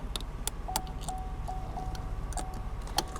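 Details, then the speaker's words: 2017 Silverado with no crank and a Service Theft Deterrent message, connector with corroded pins and water intrusion being unplugged: a thin, clear chime repeats irregularly about every half second over faint clicks. Some communication restored; cause unconfirmed. "And can hear the the dinger going off. So we've definitely changed something here."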